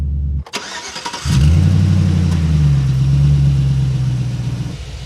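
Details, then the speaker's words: 2006 Chevy Silverado with Vortec V8, no-start fixed by replacing the starter motor: brief crank, quick catch, then a steady low even idle with no misses or knocks; starts right up and runs smooth. "oh yeah it's running good now got that starter replaced all the way down in there no problems it's running smooth started right up this is fixed"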